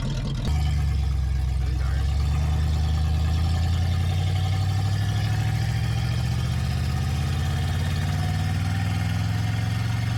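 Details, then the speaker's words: 1978 Oldsmobile 98 revived after sitting in the woods, carb rebuilt and new fuel lines: deep, steady engine note rising smoothly under acceleration with no knocks or misses; runs, accelerates and brakes well. "the brakes work it accelerates nice everything about this car works for what you would expect"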